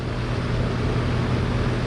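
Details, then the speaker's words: Lennox upstairs AC unit, no-cooling warranty call, heard at the outdoor unit; steady low electrical hum with no compressor pickup as the compressor tries to start and fails; technician says it sounds like a bad capacitor. "oh i don't know if you can hear but it sounds like it's a capacitor so this is going to be it"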